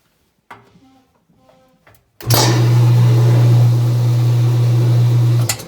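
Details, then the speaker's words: Old Whirlpool Thin Twin washer dryer after a bushing/mount repair, on spin cycle: steady low hum comes up quickly and holds even with no knocking or scraping; drum runs slightly off center but spins properly. "seems to work. So I think we got everything working well enough. See, it's a little off center, but it's good enough for our needs."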